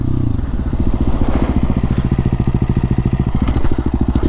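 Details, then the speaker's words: 2018 KTM XCF 350 on a test ride after replacing a cracked fuel pump filter that had caused bogging and sputtering. A crisp single-cylinder bark pulling cleanly as revs climb, with no bog or sputter: normal acceleration. "I can definitely tell it has more power it doesn't bog it doesn't sputter"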